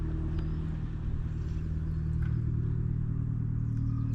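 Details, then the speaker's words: Fiat 500 idling, heard from four or five metres away: steady deep drone with heavy low rumble, louder than stock, coming from the middle exhaust section; loud middle exhaust section. "that that was the middle exhaust noise. So, uh I think right now I'm like four or five m away from it and then I I hear the noise."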